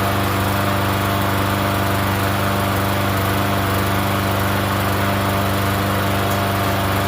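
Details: Free Yard Machines 21-inch self-propelled mower, not run in over a year, primed and started on gas: steady single-cylinder putter at constant speed, no misses or knocks; runs reasonably well.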